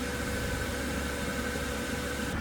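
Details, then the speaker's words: Van diesel air heater just after startup, with the fuel pump kicking in after the fan's cold-air phase: an even fan roar over a steady hum with no surging. Normal running. "Pendant une ou deux minutes, seul l'air froid sortira et seulement après cela, la pompe s'allumera et l'air chaud commencera à arriver Ok la pompe a démarré"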